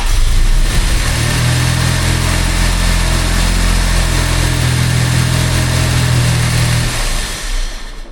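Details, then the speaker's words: Jaguar XJ6 just started off the key after work, out of gear, no coolant in, idle speed and airflow not yet set up: fast even idle that never settles to slow tickover before shutdown; running too quick. "I just started it. And you can hear it's running too quick,"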